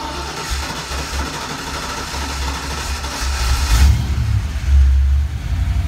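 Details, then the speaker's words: 1988 Mustang GT V8, Trick Flow cam, hypereutectic pistons, in neutral, idle just backed down from about 1,000–1,100 rpm: starts, then idle surges and dips unevenly instead of settling; idle hunting, cause unconfirmed. "Drop a little bit there. Hunting and pecking a little bit there."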